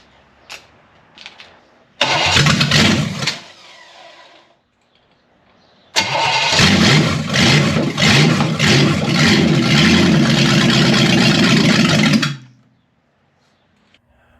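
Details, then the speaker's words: Locked-up, abused Chevy 327 small block being revived, starter hot and possibly hanging up: two cranking bursts, then an uneven, lumpy run that wavers and cuts out; it runs, but poorly. "Well, folks, I'm going to call it there. Will it run? Yes. Will run well? No."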